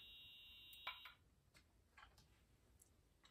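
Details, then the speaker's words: Restoration of an EH-24S: piezo horn gives a faint high-pitched tone for about a second, then near silence, very quiet though the strobe works; owner suspects a capacitor that drives the piezo sound amplification. "ns so that's very interesting actually so as you can hear it's trying to make noise well it is actually it's just very very quiet and the stroke does work so that's good"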